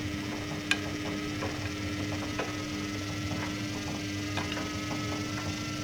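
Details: Samsung Ecobubble WF1804WPU washer bought December 2011: drum turning with steady motor hum and irregular sharp knocks every second or two, at drum start or unbalanced spin; owner suspects broken shocks or bearings.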